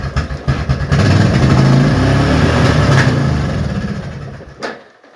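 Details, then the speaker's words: Old Yamaha Kodiak ATV after years sitting, hard-kicking and oil-smoking. Repeated pulls give a quick chuffing about three per second that never catches and fades out. Cranks but won't start; owner suspects no fuel, though fuel reaches the carb bowl. "Okay, I don't think we're getting any fuel."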